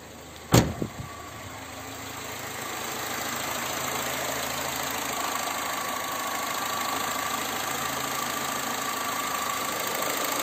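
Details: Engine idling after the AC compressor's electromagnetic clutch was tested by bridging the plus contact and found working. One clunk as it catches, then a quiet, even idle settling into a steady hum with no knocks or bearing growl: healthy.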